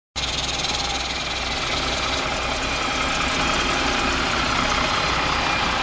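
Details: MCW Metrobus Mk1 preserved double-decker diesel bus: loud clatter at idle with an uneven, lumpy beat; rough idle, bus also has a bad differential and sometimes won't engage third gear.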